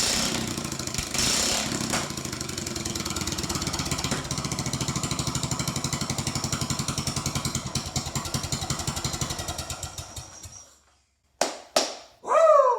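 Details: Old Troy Bilt riding mower, parked since 2014, started on jump box after sitting five years with ethanol fuel; small engine holds a steady, even popping beat, then winds down and stops cleanly, no knocks or misfires; sounds good, normal running.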